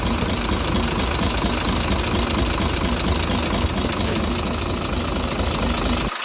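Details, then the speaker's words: Truck six-cylinder 24-valve diesel at idle: loud clatter with a busy, uneven tik-tik ticking on top; mechanic suspects tappets or an injector, unconfirmed. "ब यहां से आपने आवाज सुननी है गौर से यहां से आवाज वाजे चुक चुक की सुनाई दे रही है इस आवाज को चेक करने के लिए हमने यह पैप खोल रखा है"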